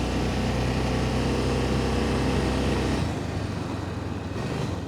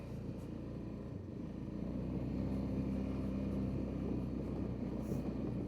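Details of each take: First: 2005 Honda Rincon 650 ATV, 1,386 miles, 300 hours, warm, low on fuel: idles fine but at full throttle pulls off steadily then stays flat and labored, top speed about 15 mph; power loss from torn carburetor diaphragm. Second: 2005 Honda Rincon 650 that had no power and a 15 mph top speed, on a test ride: steady, even engine drone that holds up as it climbs through the gears and up hills without stumbling or bogging; it now pulls normally under load.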